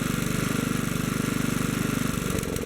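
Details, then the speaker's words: Kohler K181 engine, adjusting the main jet from a starting point of two and a quarter turns: the quick steady firing beat falters and loses rhythm as the mixture goes too lean; stumbling at the lean limit. "well there's a change that drops off pretty quickly there right there's the lower limit of where it runs good"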